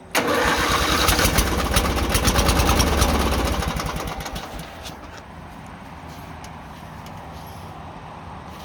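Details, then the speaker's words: Murray 18 hp V-twin riding mower after carb cleaning cured rough surging idle; starts with strong even rapid beat, then settles to a quieter steady idle without hunting; normal idle. "Runs good now. Clean the carb out. It was kind of surging for a little bit. So, but I cleaned the carb out some. It changed a lot. Idle's right now."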